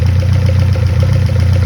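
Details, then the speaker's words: 1971 Toyota Celica RA20, 18RG on twin Weber 40 DCOE sidedraft carbs at idle: loud low lumpy pulsing idle with slight hunt; sync gauge shows one carb's throats much lower than the other's, carbs out of sync, corrected with balance screw. "Now that one's much lower, and this one is much lower also. So they're not, the carbs aren't synced together."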